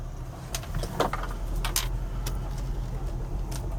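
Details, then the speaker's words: 2000 Lexus RX300 on test drive after ignition coil replacement for P0300/P0302/P0304 misfire codes: steady low engine hum with no stumbles, check engine light off; runs smoothly after repair. "so here we are going on a test drive after replacing the coil and the uh RX300 as you can see the engine is running a lot smoother than it did there's no engine light"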